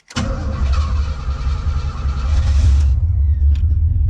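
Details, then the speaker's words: 1980 custom Camaro, freshly tuned up, fully cold start without throttle; short crank, fires promptly, then deep steady burbling idle with no misfire or knock; starts well, throttle response improved. "Cranks up good. The throttle response is way better."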